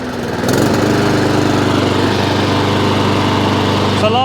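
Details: Honda IZY lawnmower started on choke: steady, even buzz at constant speed, previously began hunting after about 30 seconds, no surging.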